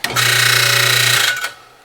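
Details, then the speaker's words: Busy Bee B324 junkyard bandsaw motor run with belt off, after new 6202ZZ bearings: hums up with a bright metallic ringing rattle that fades as it coasts down; centrifugal switch striking the motor dust cover. "Yeah, motor's making that noise, which makes me think it's the dust cover for the motor."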